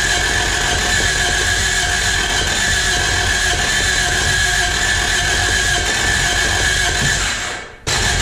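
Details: 1986 Toyota Corolla AE86 parked since 2010, fitted with a charged battery: steady cranking drone with a faint squeal and an uneven cough or two, never catching; cranks but won't start.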